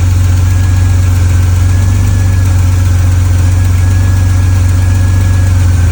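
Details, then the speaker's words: 1986 Pontiac Fiero GT at idle right after an EGR valve replacement: steady low rumble with a faint thin air hiss; owner unsure if it was there before, doubts it's from the tightly fitted EGR, maybe from underneath. Idle back to normal. "So I think it's fine, but it does sound, I don't know if it was making that sound before, but it does sound like there's air."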